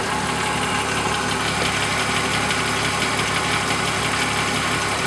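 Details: BMW E36 M3 S52 at steady idle with a busy metallic rattle at engine speed; timing chain rattle suspected. It sounds worse from underneath at the front of the motor.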